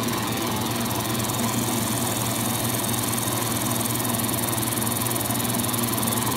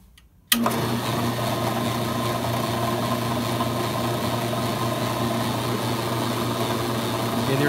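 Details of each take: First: AMMCO brake lathe disc feed gearbox after mounting and aligning the PTO to the rotational centre line: smooth, even hum with a light fine tick and no rattle; the gearbox runs quietly and healthy. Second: AMMCO brake lathe switched on gives steady low hum with fine light rattle; disk feed gearbox PTO not aligned to the pulley's rotational axis centre line, which also hurts cut quality.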